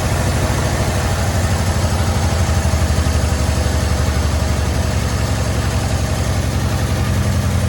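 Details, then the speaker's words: 1972 Chevy C10, after acorns were cleared from the pipe and the fuel hose fixed: a steady, even idle with a smooth low exhaust pulse and no misses or knocks, carburetor idle turned down. It runs well, with no blow-by from the vent tube. "Idling the carburetor down a little bit. The whole thing's not running bad. Not any blow-by coming out of the vent tube there."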